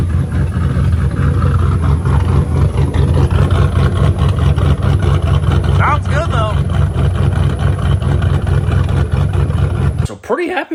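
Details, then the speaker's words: V8 with new y-pipe/cat and a temporary extra pipe with no muffler, unhung and moving: a deep, loud, lopey open-exhaust burble. Healthy but raw; the owner wants to quiet it down. "how this thing sounding borderline doesn't even need a muffler but I'm going to want to quiet it down a little bit"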